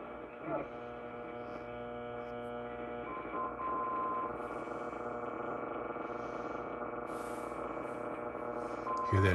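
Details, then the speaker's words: Ten-Tec 340 receiver during a band scan: steady buzzing hum of many stacked tones under the received audio; interference, possibly from the house, that turning off the lights did not cure; source unknown. "buzzing some kind of noise whether it's from me or my house"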